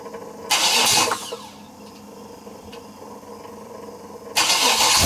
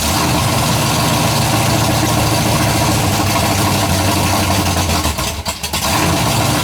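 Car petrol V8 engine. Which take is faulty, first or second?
second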